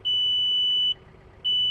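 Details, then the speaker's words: Tractor 3-point hitch assist engaged with activation button held down: steady high-pitched beep, about a second on, half a second off, before pressing forward/reverse to creep; normal hitch-assist warning beep. "Once you push this down, you will then begin to hear the beeping sound."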